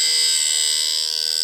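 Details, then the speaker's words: Automatic sharpener grinding Wood-Mizer bandsaw blades for an LT40 sawmill: a high, steady grinding whine through the pass; the grinder head is set slightly too high, not reaching the gullet, and needs lowering a smidge. "And I listen to it, and that there needs to come down just a smidge"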